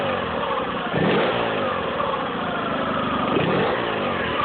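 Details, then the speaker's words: Nissan 9.8 four-stroke outboard on a hose, not in water, after drilling out idle adjustment plug to richen lean factory setting: smooth pickup on two quick throttle blips, pitch rising and settling, no falter or stumble. "There's no longer a falter with the throttle either whenever I give it throttle"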